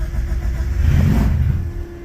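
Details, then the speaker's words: Carbureted car cold start in snow with cold-start spray applied before the air filter, breather removed, clutch pressed: short crank, catches, roars up briefly then settles to steady idle as it pulls fuel; normal cold start after a struggle. "oh yeah she's a runner [Music] she pulling fuel now"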